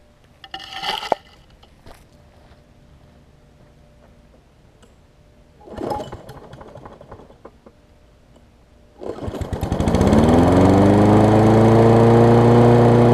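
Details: Toro self-propelled mower with a Kohler engine, which had no spark until the plug was cleaned with carb cleaner. It catches, revs up and settles into a steady, even drone. It smokes a little at times. Normal running.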